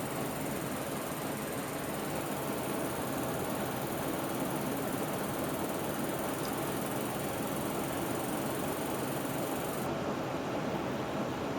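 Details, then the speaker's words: Fast, dense crackling clicks from a water-cooled PowerColor HD 6990 LCS graphics card under 3DMark 11 benchmark load. This electrical coil noise stops when the test changes and then restarts, as on the original 6990. "Did you hear the clicking stop then? It's because the test is changing. Just wait a second. Now the clicking has started again."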